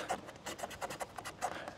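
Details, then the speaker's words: Mobilvetta motorhome while driving over road undulations: short rubbing squeaks about four a second from the poorly bonded overhead pod; rebonded once but squeak returned within about 500–600 miles. "now in that noise there was a big squeaking noise that entire time in that video that you probably didn't hear because of all the louder noise now the squeak itself comes from this bit the overhead pod which isn't really bonded very well"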